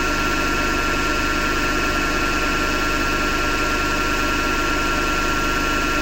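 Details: Hotpoint Ariston FMD963 washing machine running with constant rough grinding and a faint pulse under it; owner thinks it comes from the motor rather than the drum and plans to remove the belt to test.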